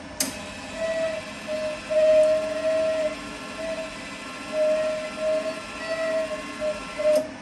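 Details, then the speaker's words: XS project during frame welding, MIG welder feeding wire to purge shielding gas: a soft mid-pitched hoot rising and falling in puffs for several seconds, like an owl; normal gas purge. "As you can hear, sounds like an owl."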